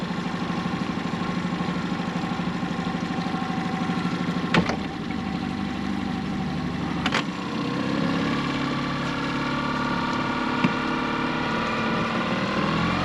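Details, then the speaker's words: Hood 23 sailboat outboard after repair, fuelled with 95 or 98 unleaded, tested at the wharf shifting neutral to reverse where problems occurred before: steady even idle with sharp gear-shift clicks, running smoothly. "That's fine. Neutral. Reverse, which is of course what we'll be using when we go out."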